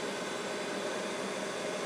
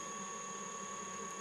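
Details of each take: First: Mikini 1610L milling machine converted from flaky BLDC drive to a 2 hp AC inverter-duty motor on a Hitachi sensorless vector VFD, ramping toward full speed 120 Hz (about 5200–5500 rpm): steady even whoosh rising with speed, just the motor's top cooling fan, normal. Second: Mikini 1610L mill's new 2 hp AC inverter-duty motor on a Hitachi sensorless vector VFD turning slowly at low drive frequency: steady high electrical whine over faint hum, likely an artifact that smooths out at higher speed.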